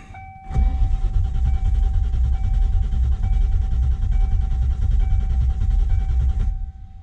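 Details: 1995 Ford Mustang GT, manual in neutral, after new ignition switch and lock cylinder: starter spins engine steadily about six seconds but never catches, same as before; failed ignition coil was the cause, fixed by replacing it.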